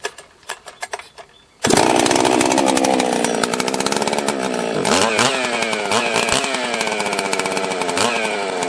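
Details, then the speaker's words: Husqvarna chainsaw, apparently a 261, whose carb was found locked solid with a broken choke and stuck throttle: revs hunt and surge unevenly, dipping and recovering every second or two; erratic running, cause unclear. "let's uh try to fire it up here it's running really weird so i'm gonna try to let you decide if you can figure out the problem and then we'll probably fix it on the next video"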